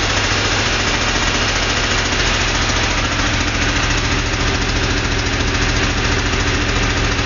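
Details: Porsche 2-litre flat-six at steady idle with a regular knock about twice a second over busy engine clatter; internal knocking noise, cause unknown.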